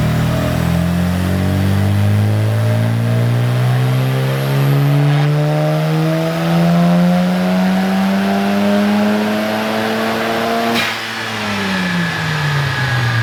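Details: Mazda FD RX-7 rotary on the dyno, full-throttle pull: smooth, clean climb in pitch with no flare or sudden rev jump, then an even lift-off. Clutch holding fine; the suspected problem was just the pedal.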